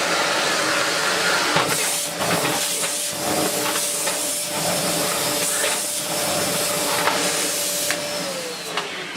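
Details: Bosch GS40 bagless vacuum after clearing a blockage behind its red warning light; strong steady motor whine with even airflow rush and some handling knocks, suction healthy with no choking or strain.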